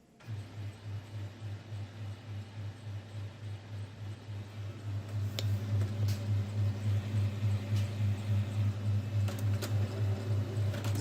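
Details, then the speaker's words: HP M426 laser printer (M402/M426/M428 series) after replacing worn fuser drive gears: low, even hum pulsing about three times a second, with the earlier noise, droning and crackle gone; the gearbox now runs normally. "гул шум ушел нормально адекватная работа редуктора"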